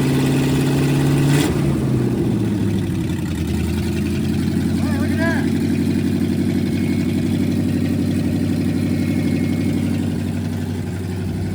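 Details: 1969 Chevy C10 junkyard truck, 180 thermostat believed fitted, timing not yet set: fires and settles into a fast, slightly uneven lumpy idle; owner thinks the timing is off and needs adjustment.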